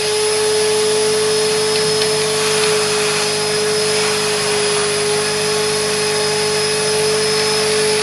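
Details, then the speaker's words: Carpet extractor wet vac during the interior detail of a 2006 Vauxhall Corsa C 1.0: a constant high-pitched whine over an even suction roar means the dirty-water recovery tank is full and needs emptying. "As you can see, it's cleaning up lovely, but that noise you can hear on the machine means it's full, so I've got to empty it."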